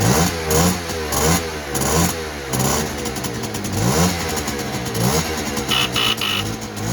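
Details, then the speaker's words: 1959 NSU Quickly 50cc two-stroke chopper moped, owner worried it may run a bit lean: buzz rises and falls cleanly through repeated throttle blips without bogging or stumble at the top end; pulls well. "it is a pocket rocket over actually quite nicely yeah that's it"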